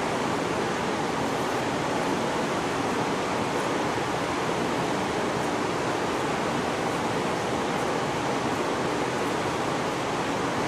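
Steady even rush of air hissing with no rhythm, compressed air escaping past a bent intake valve on cylinder three.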